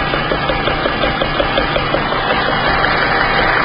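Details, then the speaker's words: 2009 Nissan Rogue SL AWD with CVT, idling in gear on a hoist, recorded from underneath on the driver's side near the oil pan. Steady rhythmic knock just under three per second, oil pan shaking: worn driveshaft center support bearing. "Now, take a look at the engine oil pan. You can see it's shaking. You can hear it banging away like crazy."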